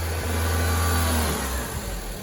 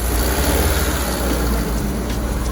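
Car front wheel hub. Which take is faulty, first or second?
second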